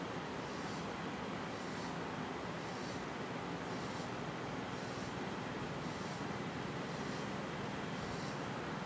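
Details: 1990 FASCO Charleston 5-blade ceiling fan on medium speed: soft even airy whoosh with faint regular blade swish, no ticking or wobble knock; normal smooth operation.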